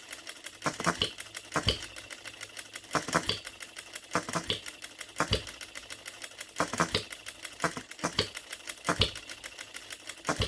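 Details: New OKMO Retrol B02 miniature petrol hit-and-miss engine on 25:1 shellite with Marvel's Mystery Oil, sitting steady on the table: sharp firing pops every few seconds with quiet coasting clicks between. Even, normal hit-and-miss running.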